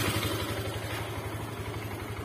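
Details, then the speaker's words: Motorcycle that had run completely out of oil, at idle: fast, light, even ticking over a lumpy idle, worst just after starting or after sitting and fading at higher rpm. Piston slap. "Tapi kalau stasioner gini, nah ini ada tak kayak gitu bosku. Nah ya, apalagi pada waktu baru kita hidupkan motornya atau setelah diem lama itu, nah ini bosku ya, timbul lagi kayak gitu ya, kayak gitu ya."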